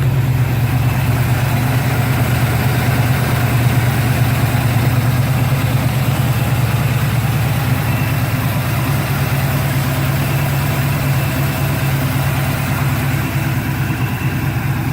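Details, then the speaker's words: Monte Carlo with new 350 V8 crate engine (355 hp, 370 lb-ft, cam .480 lift, 280 duration), TH350 from a '74 Corvette, about 2,000 miles, past break-in: deep, loping, even idle; sounds like it should, normal idle. "Definitely sounds like a Monte Carlo should."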